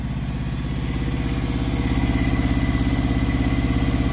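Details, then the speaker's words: Truck APU small diesel after oil, coolant and oil, air and fuel filter change: even idle with a faint high chirp riding over it; the AC clutch pulley is squeaking. "got that squeaky pulley but that's the uh ac that's that ac clutch"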